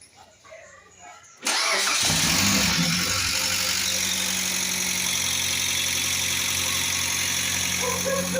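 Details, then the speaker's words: Mitsubishi Pajero TR4 engine at idle: a quick, steady lifter tick of a few ticks per second, caused by a clogged oil hole starving the cam and hydraulic lifters; fixed with new lifters and a cleared oil hole. "Baticeira de de tucho. Defeito da batera de tucho é aqui o furo aqui, ó. Esse furo aqui tá entupido, ó."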